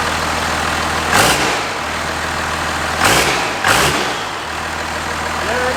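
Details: 1967 Ford F-250 with 5.9 Cummins from a 1993 Dodge Ram, first start after two to three years after injector line work; diesel settles into a steady, even low idle clatter with brief bursts, running healthy.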